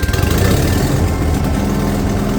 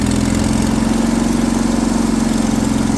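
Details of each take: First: Vintage Kohler pancake-style twin-cylinder engine on a street sweeper, revived after sitting over 20 years with fuel system work, new electric fuel pump and points ignition: deep, even throb with no knocks or misses; running smoothly. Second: Kohler pancake twin on a three-wheeled street sweeper, run for the first time after sitting over 20 years, with a fuel pump that would not work properly: even drone, then the note drops and it stumbles and surges; fuel starvation.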